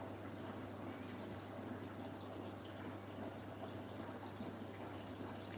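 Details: New Siemens 10 kg washing machine, 70° drum clean: soft steady rush of water with a low hum underneath, no knocks or grinding; normal, healthy fill.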